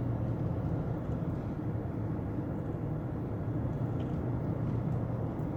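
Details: 2009 Lexus LS460 test drive after repairing a front underbody rattle on rough roads: only steady low road rumble, no clunks or rattles over bumps; front suspension sounds tight.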